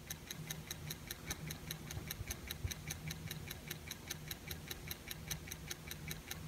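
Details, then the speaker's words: 1984 Acoustic Research (AR) turntable Hurst motor, removed and running alone on a table with no pulley or belt: a crisp rhythmic tick about two to three times a second, clearly clicking; the motor was then serviced by cleaning it out. "you can hear that it's definitely not quiet tick tick tick tick tick I've got the motor running here just sitting on this little modified end table that I have and definitely hear it click"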